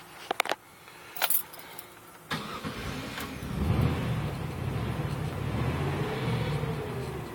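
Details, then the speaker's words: Van that would not start: starter churns, engine catches but runs rough and uneven at low revs, kept alive only by throttle and dying when gas is released, though temperature, oil pressure and voltage read good; cause unknown. "if I give it gas, it'll stay running. If I let off the gas, boom, it dies."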